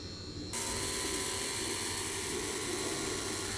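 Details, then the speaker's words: Condensate pump with good anti-siphon valve and outlet dropping 3–5 m down: sudden steady high whistle over airy hiss, caused by gravity pull of the long drop. "Now you can hear the the whistling sound. If you go down more than the meters, you should. It's whistling because of the gravity"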